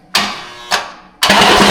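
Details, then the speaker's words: 6.4L Hemi-swapped Jeep Grand Wagoneer with Holley Terminator X, first start after priming: three harsh metallic bangs on cranking, then loud grinding clatter. Flywheel hitting bell housing or windage tray suspected; the starter was actually striking a bolt. "That doesn't sound good. That's not good at all. Is that windage tray oil pan? That sounded like the flywheels hitting the bell housing"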